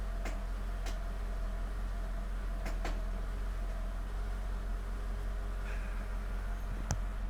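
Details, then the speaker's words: Mercedes SL500 with ABC suspension: a few sharp irregular pops over a steady low hum; popping returned despite replacing the strut ball joint, owner suspects dirty cross-beam contact points. "so anyway the pop is back i replaced the uh ball joint on the strut which is usually the cause of that popping sound"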